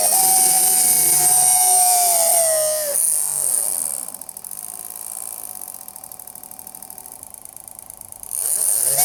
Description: This electric motor sounds terrible because its bearings are worn out.